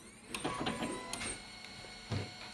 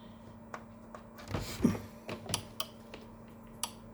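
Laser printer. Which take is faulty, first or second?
first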